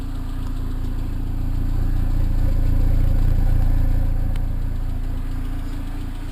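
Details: Cobalt SS supercharged petrol engine at idle: steady knocking, pinging rattle about three to four beats a second, which began soon after the dealership installed a new tensioner; cause suspected, not confirmed.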